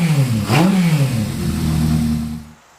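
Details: Honda CB550 four-cylinder motorcycle, freshly built and about to be test ridden: revs climb in one quick blip and settle back smoothly, clean and even throughout; healthy revving.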